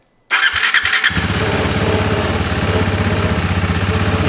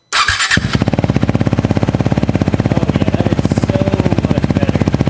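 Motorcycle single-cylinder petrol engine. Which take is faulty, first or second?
second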